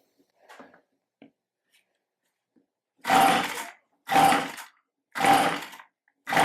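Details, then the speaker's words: Stihl handheld tiller/cultivator (string-trimmer powerhead driving a gearbox) with a no-start: on start/fast-idle with fuel poured straight in, bypassing the fuel system, it fires in four short roaring bursts, each dying within about a second. It has spark, so the fault is likely fuel delivery. "Yep, so she runs. It's got spark. I think we're looking at a fuel delivery issue."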